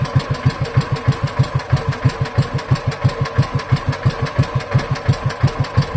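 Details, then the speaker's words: Wisconsin Model AB single-cylinder engine after carburetor clean and rebuild, idle turned down very low without choke: slow, even chuffing at about three firings a second, normal slow idle, though it later died at this setting. "That's running That was running pretty slow."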